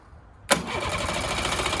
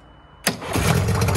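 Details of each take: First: Mariner 30hp outboard, long abandoned, cranked with the airbox off after brake cleaner was sprayed into the carb. Even cranking, then a rough spell that never runs; spark was good and it fired on ether, so blocked carb jets from sitting are suspected. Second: Mariner 30hp outboard on an abandoned boat, started on the master key with the broken accelerator worked by hand. A sharp catch, then a steady, even idle with no stumble; it sounds perfect, though it has a petrol leak.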